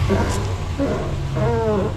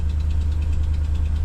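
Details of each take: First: 2014 Ram 1500 Sport quad cab, 180k miles, known exhaust manifold leak; warm engine revved in park picks up cleanly to a smooth even roar, no knocks, ticks or misses; oil pressure stays high at idle when hot. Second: 2014 Ram 1500 Sport quad cab, 180k miles, cold start idle: low rumble with faint quick even ticking that goes away as it warms, exhaust manifold leak from broken-off manifold bolts.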